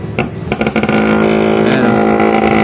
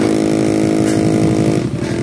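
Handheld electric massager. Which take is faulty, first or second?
second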